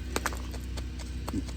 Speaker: You can hear it. You can feel the actual play in the bearing. Now, this was caught fairly recently. So, the bearing did not come apart completely.